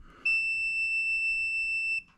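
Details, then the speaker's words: Continuity test of a normally closed safety switch on a Troy-Bilt/Craftsman 30-inch rear engine riding mower that won't start or crank: clean steady high multimeter beep for nearly two seconds as the pair is bridged, showing the contacts closed and working. "this one says normally close so the pair between this horizontal pair when I touch it together it should"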